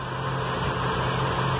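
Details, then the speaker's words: Chevy with excess black smoke and hard cold starts, idling after the too-high fuel pump pressure was lowered with a 10 mm wrench: a smooth, even low idle hum with no misses or surges; the engine runs more stably. "eso nos va a ayudar y hasta se siente un poquito más estable el carro"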